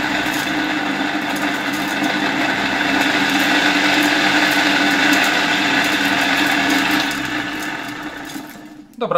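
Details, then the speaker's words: 1958 East German Omega type 1064 vacuum cleaner with original EM 87/50 K motor: high, harsh whine with rough buzzing edge, spinning down at the end; runs poorly because the motor bearings are badly worn, not yet replaced. "As you can see, the engine works, although it doesn't run very nicely. However, the bearings in the engine are already very worn out, but I don't think I will replace them in this video."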